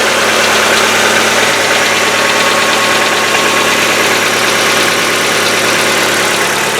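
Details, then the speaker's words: Hyundai Getz fully cold after a day in the garage, old oil, before Liqui Moly lifter additive: fast light crisp ticking over steady idle from hydraulic lifters, stopping after about a minute. "Сейчас заведу, послушаем, как стучат гидрокомпенсаторы, сколько по времени продолжается стук."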